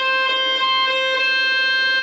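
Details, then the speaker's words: Victor (JVC) RC-550 mono radio-cassette on medium wave: a steady, slightly buzzy whistle around 500 Hz replaces any station. It comes from a switching power supply fitted instead of a rewound transformer. "Потому что тут установлен импульсный блок питания, вместо того, чтобы перемотать трансформатор, и он просто свистит, и все."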